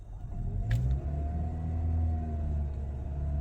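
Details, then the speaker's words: Hybrid car, accelerator floored and pumped while stationary: only a muted low hum with a gentle rise in pitch, no roar like a regular car, just a warning; normal hybrid engine rev response. "Ini saya gaspol loh ini, tuh gaspol ini, suaranya gitu doang tuh. Jadi nggak kayak mobil biasa ya yang digas tuh ngungung tuh, ini nggak bisa teman-teman."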